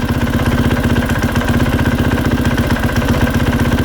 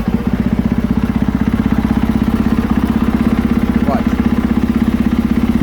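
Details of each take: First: 2020 KTM 450SXF idling with the clutch being pulled in and let out: a light, rhythmic tapping or clunking from worn rubber clutch dampeners. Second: 2020 KTM 450SXF after replacing worn clutch dampeners: steady even single-cylinder idle, clutch lever pulled in and released, with smooth thumping and no former clunks or taps from clutch area.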